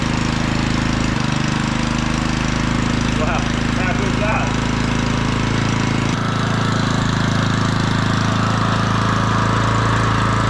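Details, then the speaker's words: Auction-bought small generator running after adding fuel: loud, steady, even drone with no misses, knocks or surging; slight fuel weep from the fuel bowl; normal running. "well that ain't bad for H 20 bucks is it wow that sounds awesome"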